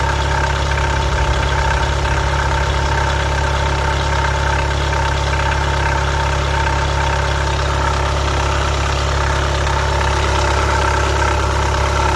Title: Golf 7 Quietschgeräusche bei geöffneten Rad Kasten